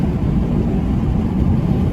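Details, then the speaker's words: Originally 305, moved to 350 then LS-swapped V8, on 28-inch wheels with new axle, road test under hard throttle: deep even V8 roar pulling strong and steady, responding quick, instant power, no misfire or stumble; normal acceleration. "But let me step on it. Look at that. I'm stepping on it. Bruh. And she responding quick. Instant power."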